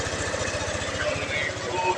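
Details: Yamaha NMAX version 1 scooter idling after installing a new original cam chain tensioner and refitting the throttle body: soft, regular low putter with no rattle or ticking from the cam chain area; runs quiet and healthy.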